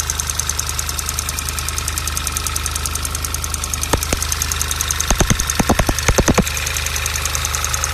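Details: VW Golf VI GTI TSI at idle; steady normal TSI injector clatter with louder irregular ticks in between, intermittent ticking, cause unknown.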